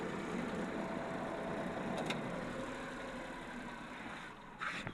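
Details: Suzuki DA52T that would not start and had low power with check-engine light, after sensor replacement and common rail injector pressure checks: quiet even idle, no misses, stumbles or hunting; normal idle.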